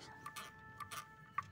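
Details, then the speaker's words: Maspion electric fan that stopped spinning after a fall: quiet, irregular light ticks (about five in under two seconds) from the fan hub, suspected catching or rubbing on the shaft; lots of hair found making it stiff; to be cleaned and oiled. "seharusnya nggak bunyi ya teman-teman."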